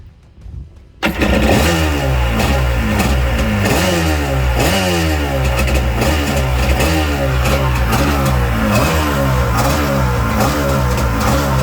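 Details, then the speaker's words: 1984 Kawasaki JS550 jetski, after cleaning saltwater corrosion off the starter switch electrodes: catches straight away, revs up and down cleanly and keeps running strong; normal start and run. "Right, so we managed to get it started, as you can see."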